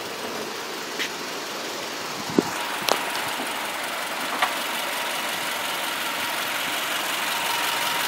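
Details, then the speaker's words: 2010 Subaru Forester, 5-speed manual, AWD, four-cylinder boxer engine, mostly highway-driven, hood open: quiet even idle, only faint clicks, no belt or pulley noises; engine healthy. "very quiet no odd belt noises or belts wheels or anything like that"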